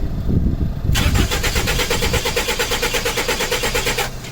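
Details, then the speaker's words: 1985 Toyota van sitting since 2012, after fused battery, new battery cable and tested starter installed: strong, steady cranking for about three seconds with no firing; turns over but won't start, not expected to start yet. "no i wasn't expecting it to start but we got it to crank"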